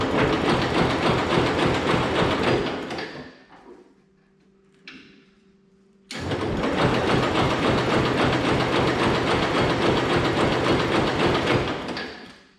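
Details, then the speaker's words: Hesston 140 Front Runner garden tractor, unrun about 16–17 years, after a new carburetor bowl gasket, with choke and some throttle: even steady cranking, pause, cranking again, perhaps one fire but never catches; crank no start. "hmm i think she fired once there"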